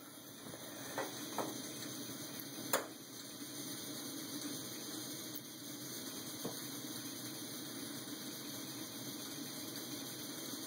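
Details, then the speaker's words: MSR Whisperlite camp stove converted to run on isopropyl alcohol and E85: a quiet, even hiss with only a couple of small clinks and no sputter or pulsing; it burns steadily and normally. "and certainly one that i am excited about so now our stove runs on booze"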